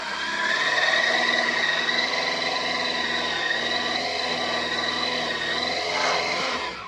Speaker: there we go and that hasn't been started for oh good six six weeks or so and it's just gone off the button like that so yeah it's a good solid bike this one